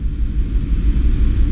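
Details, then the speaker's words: BMW X1 320i that went through water, idle with a stumble: lumpy, uneven low rumble; scan data shows excess injection time on cylinders 1 and 4 at idle, cause unconfirmed. "Então eu tenho um excesso de injeção em marcha lenta no cilindro um e quatro"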